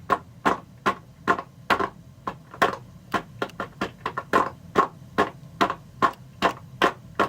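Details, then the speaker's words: One-pipe steam radiator test, refilled with steam over cold condensate, pressure about 9 inches water column: loud sharp regular bangs about every half second as steam blows through the water seal, hammering in the bucket, not the radiator. "But either way, I'll be able to tell the difference between the hammer happening in the radiator and this hammer that's happening down here in the"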